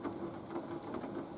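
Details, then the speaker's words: Nautilus U614/U616 exercise bike at level 4 after repair, loose pedal retorqued with plumber's tape: quiet, even whirring at steady pace with no thumps or clunks; normal pedaling. "Level 4. No thumping, no clanking, no clumping, no chumping."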